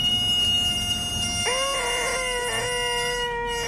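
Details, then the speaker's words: Toyota Prius rear wheel spun by hand: high steady squeal shifting pitch as the wheel turns, with noticeable drag resistance; first thought brake wear squeaker, but stuck brake caliper slide pins were the cause. "my initial thought was that it's simply just the brake squeaker however it's also got quite a bit of resistance which makes me think that it's more than that"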